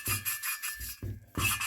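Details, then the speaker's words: Norton 750 head valve job, valve hand-lapped by twisting a rubber hose on the stem for about a minute: gritty rasping back-and-forth strokes as the grinding paste still cuts against the valve seat. "I've been doing this for a minute or so here now so you can still hear the grinding paste uh grinding against that valve Bon seat"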